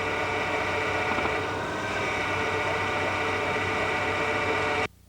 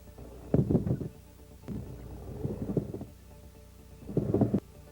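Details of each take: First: GM hydraulic (HPS) power steering during static parking maneuvers: a low, steady growl from high system pressure. This is normal and not a fault unless loud; if loud it may come from aeration, a dirty reservoir, a restricted supply hose or hoses touching the body. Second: GM power steering training: dull, muffled knocks in three bursts, like a dead shock absorber; mechanical knock from play in tie rods, adjusting nut, rack internal bushings, steering column or flexible joint; worn struts or top mounts can confuse diagnosis.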